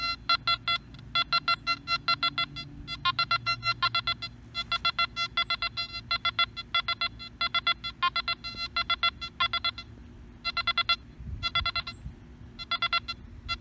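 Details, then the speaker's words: Nokta Makro Anfibio metal detector recovery-speed test, sweeping over targets slowly then faster: short high beeps in quick clusters, each target giving its own clean tone; fast recovery. "we're going to show you the recovery speed on this machine so we're just gonna go over it really slow just like you will start from there and we'll speed it up"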